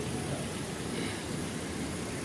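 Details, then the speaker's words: Hyundai i20 idling after the broken clutch release bearing, clutch plate and pressure plate were replaced: steady, even petrol idle with no squeal, chirp or rattle as the clutch is worked; the earlier noise on pressing the clutch is gone. "अब यह मैं गाड़ी चालू कर रहा हूं आप देख सकते हैं आपको कोई आवाज़ नहीं आती"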